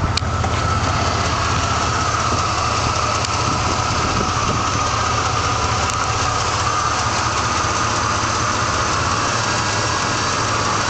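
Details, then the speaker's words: Truck petrol engine with a light clicking from the bottom of the motor that speeds up with revs then disappears at higher rpm; owner rules out lifters and exhaust leak, rough idle, oil pressure drops after 15 minutes driving. "when I start it up it makes a clicking noise as you rev it up the clicking goes faster and then at a certain point it goes away"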